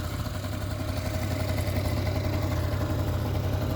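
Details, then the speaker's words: Kymco ZX two-stroke scooter on premix, first run on new carburetor after reed valve gasket found missing: low, slightly uneven putter at idle, about four beats a second, idle a bit low, needs adjustment; running again. "okay so let's try the new carburetor so when some guess sounds good little low on the need to adjust it so we can see the oil coming speed it up a bit by pulling this it goes faster at least it's running now"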